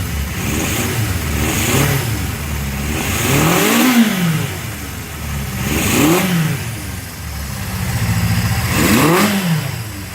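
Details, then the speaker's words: Honda CB750F Super Sport on its third start after freeing a seized motor and rebuilding the carbs, jump-started: four-cylinder picks up cleanly on three or four blips and settles smoothly, running better each time; normal revving. "but this is the third time I've started it and it's running better each time I Duncan tells me it it's gonna be alright sounds good"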